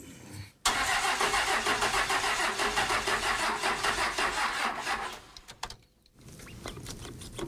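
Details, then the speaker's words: Roadkill Ramp Truck diesel, sat 3 years, injectors bled and fuel believed at the delivery valves. About four seconds of steady, fairly slow cranking that never catches because the fuel shutoff solenoid is not lifting. "We're pretty sure we now have fuel at the delivery valves, but our fuel shut off solenoid is not lifting up."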